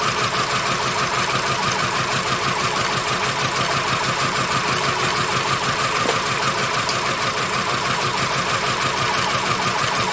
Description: repairing a VW Beetle, with a misfire only when wet or humid out.